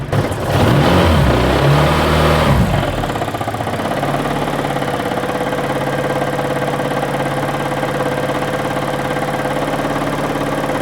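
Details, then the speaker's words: Honda K-series car with twin-disc clutch, weak battery, idling very low after start: steady rattling knock about three a second; twin-disc clutch rattle, though a rod knock is suspected. "It sounds like a race car with that twin disc."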